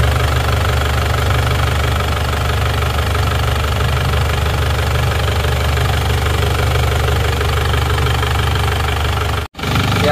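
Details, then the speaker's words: Isuzu Panther diesel after engine overhaul for blow-by smoke and oil spraying from filler cap and dipstick: deep, even idle with steady low rumble and light clatter, no irregular knocks; smoke gone, running smooth. "ya sudah bersih ya enggak mengeluarkan asap Seperti yang kemarin ini lihat sudah cukup mantap suaranya pun halus ya"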